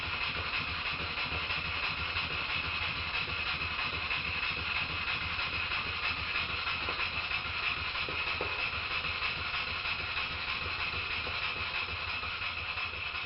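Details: Stuart Models No. 10V model steam engine, previously a non-runner, after repair with slight crankshaft end float considered common and not a problem; a quiet, steady air hiss with even light chuffing about three beats a second, running smoothly.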